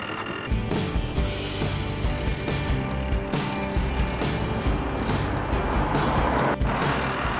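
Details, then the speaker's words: Panhead motorcycle rolling while low on fuel; a dry rhythmic scrape and click about once a second, following wheel speed, from the drive chain rubbing, which the rider says needs fixing. "I don't know if you guys can hear too, my chain's rubbing. I need to fix that."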